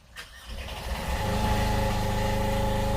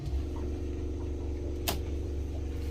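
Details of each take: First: 8k Fischer Panda generator after annual service with new fuel filter, fuel-water separator, water pump seals and impeller: the diesel cranks, catches within a second and settles into a steady, even hum. A normal generator start and run. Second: Fischer Panda diesel generator on a Grady White 330 Express boat: steady low drone with soft even ticking, running underspeed and making only 90-92 volts instead of 120+; throttle arm should move to raise rpm.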